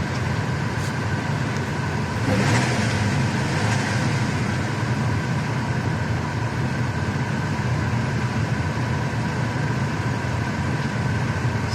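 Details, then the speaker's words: Car after replacing failed ignition coil that caused misfire: steady even idle with no stumbles, revs hold flat; engine runs smoothly, spark plugs still to be changed. "так катушку я поставил сейчас попробуем завести мне кажется все должны справиться хорошо обороты стоят места"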